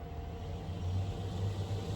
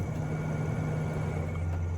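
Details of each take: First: Newly installed replacement 4-speed roof vent fan in solar-powered DIY camper van, turned up from low: soft even whoosh with faint steady hum, no rattle or scrape; normal fan running. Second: Original roof vent fan in solar-powered DIY camper van conversion, before replacement with a quieter fan: steady, loud low droning hum with no rhythm change; noisy roof vent fan.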